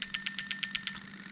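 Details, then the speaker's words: Toyota Altezza 3S-GE with new plug-and-play harness under test: injectors 1 and 2 clicking crisply and evenly about eight per second, then stopping; injectors firing and triggering correctly. "So we've got injector 1 at the front, can you hear that clicking away? Injector 2, that one's clicking away."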